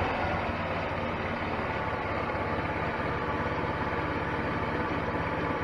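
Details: 2004 Wildfire 150T GY6 150cc Chinese scooter after a valve adjustment, previously ticking: an even, low putter at a steady idle of about 900 with no ticking on top; the valvetrain sounds quiet and healthy.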